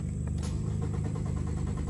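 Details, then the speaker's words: 2018 Nissan Sentra 1.8, about 35,000 miles: the starter cranks at a steady rate but the engine never fires. There is no spark; ECM coil control measures about 4.5 V, and the battery reads 13.6 V before cranking. "Ok, entonces aquí hay que ver, debería chequear quizá"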